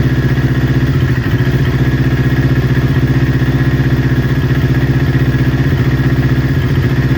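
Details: Newly built Kawasaki Ninja twin, warm idle before coil pack replacement: even thump that now and then stumbles; exhaust manifold temperature checks show right-hand cylinder running 15–20 °C cooler, suspected misfiring from a faulty ignition coil.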